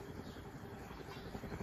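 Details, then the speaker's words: Winco Wattmaster ceiling fan, made in Hong Kong, bearings full of gunk and dirt: quiet, uneven low rumble with a faint steady hum, a rough bearing, before oiling. "let's turn it on a third bloody attempt oh listen to it bearing's a bit rough"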